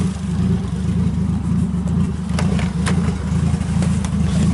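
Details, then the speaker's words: Nissan 240SX S13 with a 1JZ swap, running with few gauges and the battery not yet properly mounted: steady low engine note with an even pulse and no knocks or misses; sounds good, running normally. "sounds good though"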